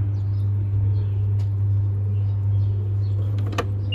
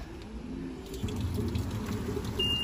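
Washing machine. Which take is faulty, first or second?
first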